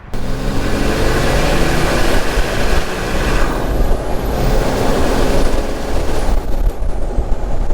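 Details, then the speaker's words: Nissan Patrol GU TD42 diesel with upgraded turbo and intercooler (200+ hp) on road test while boost is tuned: deep steady drone under load, faint rising and falling turbo whistle, no knocks or misfires. "So that was the big TD42 back together with a bunch of new goodies. The boys took it for a test drive and played around with the boost levels a little bit just to get everything sitting nicely."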